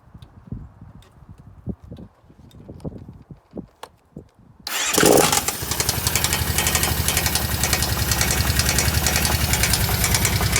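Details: Kawasaki KVF750 V-twin starts and idles with a loud, steady knock that seems to come from the rear cylinder. The valve tappets were checked and are OK; the cause is unknown.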